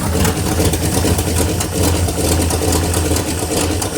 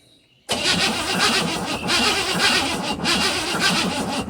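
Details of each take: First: 1957 Chevy Bel Air 283 V8 idling with a deep rumble and light, uneven ticking from a loose exhaust manifold, not a loose connecting rod; after tightening underneath the knocking was gone. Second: 1957 Chevy Bel Air 283 V8 after tightening everything underneath, with new oil: starts and runs evenly with a light exhaust tick and no deep rod knock from the bottom end.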